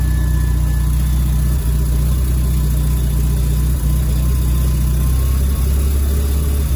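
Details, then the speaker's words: Mazda FD RX-7 rotary on a base tune, idle air screw being adjusted: steady low rotary drone idling fast and climbing a little near the end; idle now too high as AFR moves from about 10 to 11. "going idle seems too high now oh but the AFR has gone down to 11 or up to 11 so maybe we're just going to be idling at [ __ ] stupid high [Music] RPMs"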